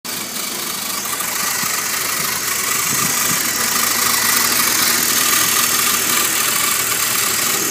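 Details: BMW E46 ZHP idling with a funny engine noise, recorded from the engine bay, under the car and back to the exhaust: faint rhythmic tick about three per second over hissy background; unidentified engine noise, source unknown.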